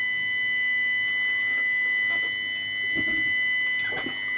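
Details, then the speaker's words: Midland CB radio converted to 240 volts AC, external speaker plugged into its socket: steady high electrical hum under faint background noise; suspected pickup because chassis may not be earthed, transformer said to be earthed, unconfirmed. "wondering if it's because getting a bit of a hum can hear it men"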